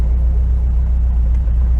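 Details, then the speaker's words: 1968 VW Double Cab automatic pickup after years stored in a tent, cruising on the highway around 65–70: steady low healthy engine drone, no knocks; runs well, though it has some exhaust leak. "you guys could hear it sounds pretty good now"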